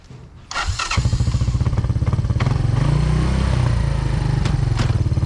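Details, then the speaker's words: Kids' ATV after shortening and lubing the drive chain: small engine putters steadily while riding, with the earlier chain rattle no longer noticeable. "i don't really hear the chain rattling as much as i did before and uh we got it all good and lubed up"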